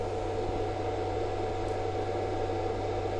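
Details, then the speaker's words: Battery charger on a 2001 Hydra Sport 2600WA boat charging a LiTime 12V 300Ah LiFePO4 battery near 100%: constant fan whir with a low mains hum and steady tone, no rattles or speed changes, a little loud but okay. Normal fan running. "A little loud, but it's okay."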